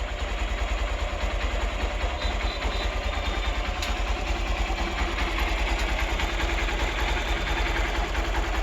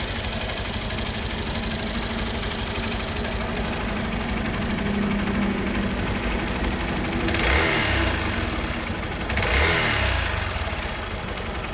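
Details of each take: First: Hero Xpulse 200 single-cylinder motorcycle at idle, after final valve clearance adjustment (intake 0.06 mm, exhaust 0.102 mm): steady idle with only a faint, even top-end tick; normal idle. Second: Hero Xpulse 200 single, idling before valve clearance adjustment: light fairly quick tapping over exhaust hum with two short blips; excessive valvetrain tick from loose valve clearance.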